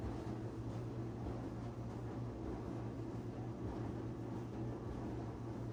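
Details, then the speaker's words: Whirlpool/Maytag dryer running after idler pulley replacement that cured a squeal: low, even hum with a smooth drum rumble and no squeal or chirp; normal quiet running. "Sounds quiet to me."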